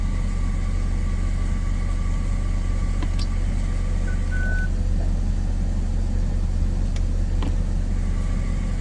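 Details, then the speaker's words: BMW 330xd, ZF 6HP automatic just refilled after fluid and sleeve change, running through gears: steady low drone with a thin constant whine because it was overdrained and underfilled; fix is topping up until fluid reaches the fill hole. "And because I drained a little bit more oil than you would normally do, the filled capacity wasn't enough and my car was making this sound."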